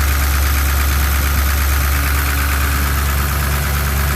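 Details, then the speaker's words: 1967 Chevrolet C10 pickup V8 on its first start after a camshaft change, outdoors on a windy day: deep, steady, even idle with no knocks or misses, good oil pressure, slight smoke, idle to be turned up; a normal idle. "okay guys it's running I got good old pressure"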